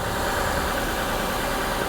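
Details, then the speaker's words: Copart salvage car with a new serpentine belt, a timing belt installed at 137,484 miles in February 2018, good coolant and badly leaking valve cover gaskets, idling: a steady, smooth, unbroken hum with no knocks. It runs like a top. "she runs like an absolute top it's got a good-looking Duracell battery"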